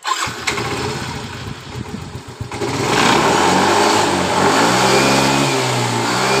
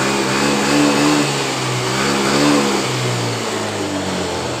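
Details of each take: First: Yamaha Mio M3 scooter that sputtered under throttle, after replacing the rotor (coil, TPS and throttle body swapped earlier): cranks briefly, catches cleanly, revs up and settles smoothly; normal start and rev. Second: Yamaha Mio M3 with normal 42 psi fuel pressure and normal idle: revs rise unevenly and hesitate at mid and full throttle. The cause is not confirmed. Engine stumbling under throttle.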